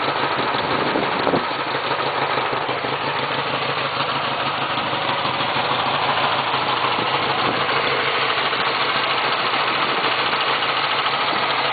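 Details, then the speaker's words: 1966 Honda Dream 305 CA77 twin at a steady, even idle with a busy mechanical buzz but no knocks or misses; oil just changed, starts in one or two kicks, no smoke, healthy. "I don't know if you can hear it but there's uh no weird knocks the engine doesn't sound weird the oil's just been changed in it"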